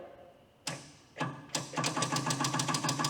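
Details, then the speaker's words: Rare Michigan 12B loader on its first start attempt after being saved from the scrap yard: a few sharp clicks, then rapid dry chattering about three per second with no cranking. The cheap starter relay is at fault, possibly dirty contacts; it cranks after repeated tries. "We got relay clickage. Well, you know, work. This is just one of those cheapo relays. Contacts might just be dirty if you hit it about a thousand times."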